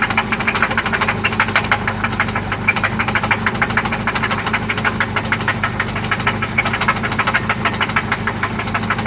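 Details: 1995 Toyota Celica ST after oil change and new spark plugs; loud sharp regular ticking knock about three per second over steady idle, seeming to come from one spot; cause unknown; engine knock at idle.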